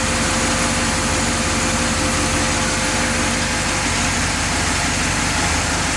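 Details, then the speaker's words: 1966 Chevy C-10 after the new distributor install: an even, steady V8 idle with a smooth rumble and no misses, knocks or ticks. It runs like a dream; the idle was showing a wrong 1600 RPM. "This thing runs like a dream."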